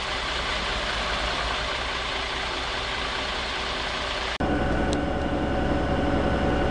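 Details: Preserved MCW Metrobus MK1 5120 (SND 120X) diesel bus with an uneven, loping idle at about three to four pulses a second; rough idle, cause unknown. The bus also has a bad diff and sometimes won't engage third gear.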